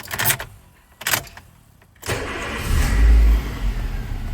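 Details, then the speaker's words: Nissan Primera after the immobiliser no-start repair, with the yellow feed cut and an extra wire run from the fuse box: a few handling knocks, a brief crank, then a clean catch into a steady, even idle. "وهيك السياره دايره وانا علي بس اجمعها."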